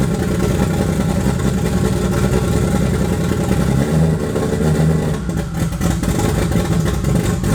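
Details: Toyota 2JZ turbo six in a Holden VL Commodore, first run in eight years after wiring work; rough lumpy revving with an uneven stumbling beat, running on five cylinders; engine misfire.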